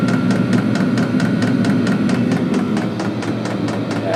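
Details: Diesel heater in a custom truck camper, about 10 minutes after start and warm, cabin about 50 degrees, quiet outside: an even blower rush with crisp, regular pump ticks about four a second; running normally.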